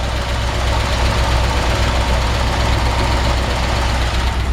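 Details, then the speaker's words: 1953 Ford F-100 barn-find flathead V8, idling cold with choke pulled, slightly over-choked and idling a bit high; even, deep low burble with no knocks or misses, healthy normal idle. "And it was a little cold. I pulled the choke. So, maybe a touch over choked right now or over over uh There we go. over idled just a hair."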